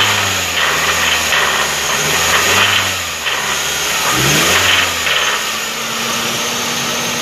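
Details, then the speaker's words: 2011 Hyundai Tucson 2.0 manual, oil never run low: idle then gentle blips with dull rhythmic knock quickening with revs; rod bearing knock, engine kept low revs to avoid rod fracture, to be disassembled. "Não vou nem acelerar muito para não acabar de estragar e ter um perigo de fraturar a biela e quebrar o bloco, né?"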